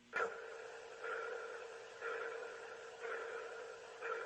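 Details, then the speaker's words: Boeing Starliner docked at the ISS, strange noise through the cabin speaker relayed to ground: sonar-like ping repeating about once a second over quiet hiss; pulsing noise of unknown cause. "it was kind of like a pulsing noise almost like a sonor ping"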